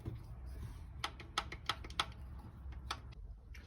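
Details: VAZ classic (Lada) valve train after an experimental grinding of the rocker arm contact faces: sharp metallic ticks about three a second over a low engine rumble; the clatter persists, and one old-style rocker stays especially loud.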